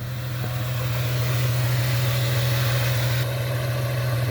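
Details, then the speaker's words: 1998 Ford Mustang with X-pipes, first run after sitting ten years, warming up from cold, gauges showing good pressure and battery: smooth, even low idle, no misses, knocks or ticks; normal warm-up idle. "yeah it's running starting to heat up i can smell it"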